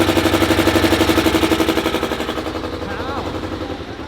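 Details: BMW M5 with basically stock S63 V8 running after a thrown rod broke out the front of the block: heavy, even pounding about four times a second over a rough idle.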